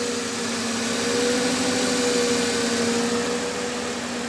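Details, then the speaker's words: 2008 Mercedes-Benz E280 after repair of cylinder misfire and unstable idle, injectors fixed, spark plugs fine: steady, even idle with a smooth hum and no stumbling or missing beats; normal idle. "Ahora [Música] sí una belleza quedó serenito"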